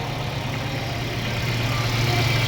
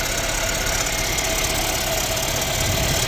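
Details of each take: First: Mercedes-Benz CLA W117 petrol engine after water pump replacement for a loud pump noise and coolant loss with TopUp Coolant warning: steady, even idle, previous whine gone; normal idle. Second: Mercedes-Benz CLA W117 idling, front of engine: steady high whirring hiss with faint rough grind like a failing bearing; mechanic suspects the water pump, with coolant dripping and loss and a Top Up Coolant warning showing.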